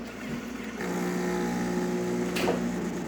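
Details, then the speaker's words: Jura coffee machine after repair of zero pump pressure (broken microswitch in ceramic valve, pump replaced): click then steady even pump buzz with water flowing, no rattles; normal hot-water dispensing in post-service test. "you can hear the water from getting activated coming out of the machine perfect"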